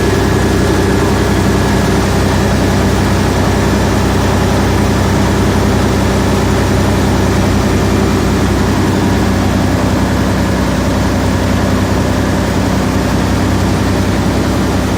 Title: 3408 injector misfire